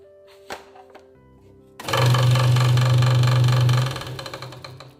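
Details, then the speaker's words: Hegner Multicut 2S scroll saw at maximum speed: fast even chatter about four beats a second over low hum from a moved blade protector rattling; fix is moving it back down. "so first things first somebody's moved the protector on there so I can hear it rattling so I'll move that back down"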